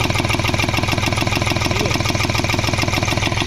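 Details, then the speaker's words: Hyundai Xcent diesel after an engine overhaul elsewhere: uneven, heavy chuffing idle at about two pulses per second with a stumble, misfiring and blowing black smoke; EGR cleaning planned, cause not confirmed. "गाड़ी missing कर रही है black smoke कर रही है"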